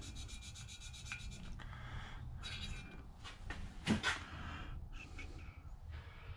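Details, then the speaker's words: Honda EU2000i generator engine valve lapped by hand with compound: uneven back-and-forth gritty rubbing strokes, coarse at first and already less gritty as the seat beds in. "i'm just doing that until the tone changes as you can see already it's not so gritty"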